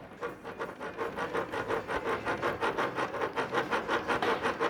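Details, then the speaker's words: Motorcycle engine turned over by hand; light regular clatter about three knocks a second from ordinary gear backlash, normal and not a defect. "se eu falar para vocês que eu quase desmontava o motor todo um dia por causa desse barulho e não é nem defeito"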